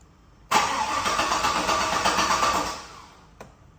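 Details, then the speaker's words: Turbo 6.0-liter truck, first start attempt on new 3-bar speed density tune and new OS: starter spins steadily about two and a half seconds but never fires; owner to check fuel pressure, cause unconfirmed. "Doesn't sound very happy. Let me get some gas pedal going here. It doesn't seem to be trying anything."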